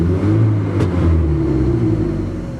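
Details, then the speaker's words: Modified carbureted KIA, lacking power under load: picks up quickly off idle with deep even rumble, no stumble or miss, revs as quick as before; normal free rev. "Well, it revs up just as quick as it did before."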